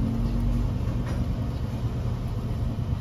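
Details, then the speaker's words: After reinstalling the drag link, wheel worked side to side with the engine running: even engine rumble with no knocks or clunks; the previous steering clunk is gone, normal steering, no knock. "Yan mga kayabi, wala na, oh. Wala na nag-atok, oh. Yung dragling mga kayabi, okay na, wala nang lumalagutok."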